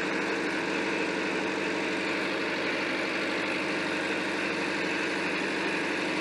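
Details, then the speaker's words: David Brown 990 diesel tractor at start-up after Group 3 hydraulic adjustments, throttle midway between high and low: smooth, even diesel clatter at steady idle with no knocks or misses; engine healthy. "I love that sound such a unique sound for a tractor love it"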